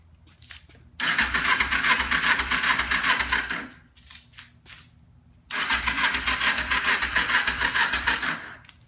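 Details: 2012 Kawasaki Ninja 250, dropped, sat five to six months, new ignition switch, carbs drained, air box removed, battery dying: two fast, even cranking bursts about three seconds each, no firing. Cranks but won't start.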